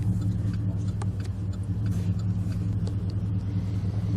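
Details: 2006 Chevy Impala SS with the LS4 V8, warm (coolant 216°F), after spark plug service and clearing codes P0118, P0300 and P0307: a steady, even low rumble with no misses, knocks or ticks. It idles healthy.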